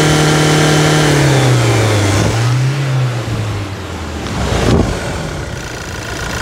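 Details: Toyota SW4 2017 2.8 1GD diesel after fresh oil change, throttle blipped: clean rise and fall in engine note, smooth and even with no knocks or rattles; healthy diesel revving.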